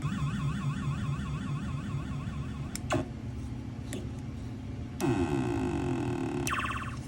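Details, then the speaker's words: Williams type 2 pinball sound and speech board after rehab (bad C11 replaced, 6802 processor, 3.156 headers replaced), tested with board tester: warbling synth tones, sweeps and chirps clean with no crackle or dropouts; fully working. "And as you can hear, all these sounds are back and working 100%."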